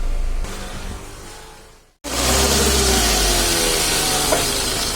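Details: Maruti Suzuki Ritz with check engine light, battery warning light, heavy steering, and a discharged battery, jump-started: engine runs with a faint, thin whine over the idle; alternator not charging properly.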